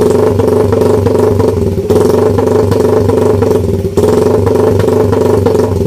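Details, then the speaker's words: Idle after basic NK ECU tuning, with the idle roughly dialed in but not yet confirmed. Even, loud idle holding a constant pitch with a slight steady patter and no stumbles. Normal idle. "Try natin yung idle. Ito yung idle natin. Natin mga Joy, ito yung nakasit up sa idle natin. So ito yung tunog."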